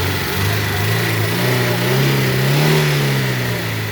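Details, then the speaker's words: Chevrolet Celta VHC engine revving: rapid uneven knocking about four beats a second, from both top and bottom end but louder at the bottom; engine knock. "Só que a parte de baixo tá batendo mais do que a de cima."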